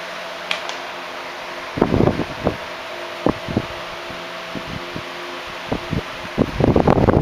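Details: 1976 Electrohome 30 cm (12-inch) desk fan, four clear blue pitched blades, on high speed: even motor hum under a rush of air with some handling clatter, no rubbing or ticking, healthy normal running.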